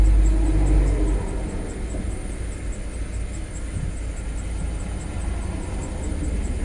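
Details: 2005 Land Rover LR3 4.4L V8 with a deep rumble that pulses unevenly and never settles. It runs rough with multiple misfires (P0300, P0302, P0303, P0304, P0306, P0307) and a dead miss on cylinder 7. Mass airflow reads high at about 20 g/s; earlier repair attempts failed.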